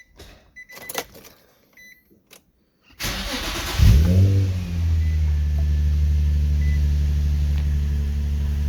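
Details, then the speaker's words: Infiniti G35 with VQ35DE V6, started right after an oil change; owner likes its trumpet-like exhaust note. Quick crank, a brief rev flare, then a smooth steady low idle with no ticking or knocking; healthy. "I like how they sound. That may or may not be a controversial opinion, but I like the trombone sound, the trumpet sound."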